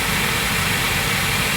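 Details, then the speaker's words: Trane gas rooftop unit (RTU) after the gas manifold pressure was adjusted to -0.2, running about 15 minutes: steady even rush of burner and fan with no howl or pulsing tone; normal, quiet running after the repair. "Alright, this one's been running about 15 minutes and I haven't heard a peep out of it. It's amazing how adjusting that gas pressure just a little bit quieted this thing right down."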